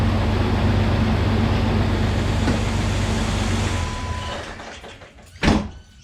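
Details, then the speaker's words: Fuel-injected AMC 6-cylinder Jeep with over 200,000 km and full service history: starts and settles into strong steady low rumble, even idle, no knocks or misses; runs really well. "Well, there's not a great deal we have to do to this because it runs really well,"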